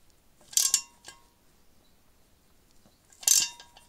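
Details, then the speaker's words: Removing valve guides from a BMW M47 diesel cylinder head with a ratchet puller, no special tools: two sharp, bright metallic tinks a few seconds apart, like a dry wheel nut cracking, meaning the guide is moving and coming out. "you just keep going and as you keep going it'll make that Tink noise they'll keep making that noise if it's making that noise that's a good sign because it means it's coming out"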